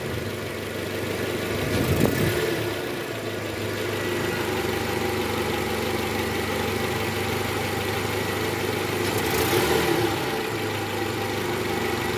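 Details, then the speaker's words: 2012 Toyota Camry 2.5 V, 2AR-FE engine, 167,000 km, after replacing a worn, loose balancer shaft in the oil pan; idling in R with AC on and brake held, even with only a couple of gentle swells, the diesel-like clatter gone: healthy. "Oke suara mesinnya sudah kembali normal ya guys bunyi di awal tadi udah hilang"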